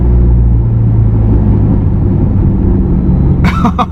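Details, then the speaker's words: Subaru WRX on a road test after a power-loss fix (new DW300 fuel pump, 40-micron inline filter, stock coil packs refitted, plugs regapped, new MAF sensor): a deep, even rumble pulling steadily under load with no stumble or misfire. "It's good. She's a ripper, man. She's a ripper again."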